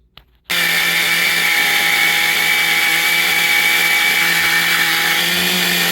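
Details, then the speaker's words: XTM Baja Outlaw RC truck small engine holding one high, buzzing tone with no clean throttle response; the idle gap was opened because the engine loses pinch when hot. Poor running; carburettor still needs tuning. "So I had to open up the idle gap. I mean, you could tell the engine once it gets hot, she loses pinch."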